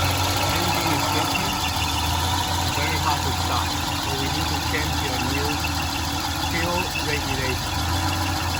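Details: Volvo 240/740/940 petrol engine idles unevenly and stumbles, hard to start and shaking; root cause is a leaking fuel pressure regulator visibly dripping gasoline.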